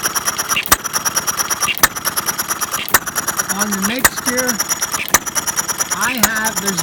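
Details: Half-scale Domestic side-shaft hit-and-miss model engine, hand built from castings, 9-inch flywheels, make-and-break ignition, gravity-fed fuel tank in block, cold day, set to run fairly slow: sharp single firing bangs about once a second with quiet coasting between; normal slow hit-and-miss running.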